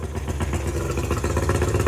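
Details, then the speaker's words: Tohatsu 50 hp (M50D) two-stroke outboard on Addictor Bambino 333, with swapped carburetors, idle set near 1050 rpm; uneven, lumpy note stumbling and surging on rev-up with a lot of smoke; hesitation on acceleration, cause unknown. "It's struggling on the rev up. You see a lot of smoke."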